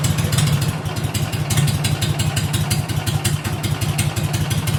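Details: 2006 Mud Buddy HD Mini surface drive, 23 HP Briggs Vanguard, about 14–16 years old, fitted with a Backwater Performance X-Flow Lite aftermarket muffler: deep, throaty, steady and even exhaust beat near idle, running smoothly and normally with the louder muffler.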